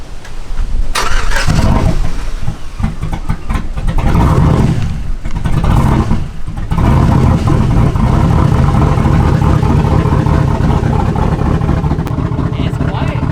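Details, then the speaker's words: 2006 Chevrolet Silverado V8 with new 228/232, 110 LSA cam kit and 3200 stall converter, untuned, exhaust not yet fitted: starts, then deep lumpy choppy idle with a few throttle blips; running healthy. "it sounds good that chocolate is good damn it boy sounds good once we get the exhaust on there the Caps off and we get a tuned so it idles perfectly we're gonna be able to hear that chop"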